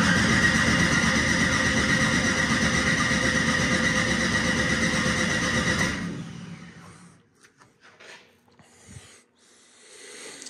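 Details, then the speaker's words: Ford Mustang with single-turbo LS-based L33 engine at first start-up: starter churns evenly, nearly three beats a second, for six seconds without firing; the ignition timing offset was left on in the ECU setup. "so the timing offset was definitely the uh problem why I wouldn't want to start"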